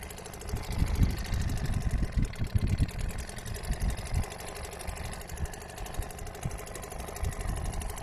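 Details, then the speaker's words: Restored old Seagull 40 Plus two-stroke outboard running in the sea at raised revs. Fast, even buzz with a rapid regular beat and no stumbling; pumping plenty of water, stops pumping at low revs. Normal running, nothing wrong. "Yeah, it's perfect. There's nothing wrong with that now. Absolutely fine."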